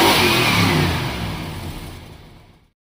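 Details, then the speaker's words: 1972 Plymouth Fury ex-police car, 440 big-block V8, barn find sat about a decade, just revived: revs up strongly, winds smoothly down and shuts off, no knocks or misses; sounds healthy. "I can hardly believe it actually runs but it runs and it idles and it sounds"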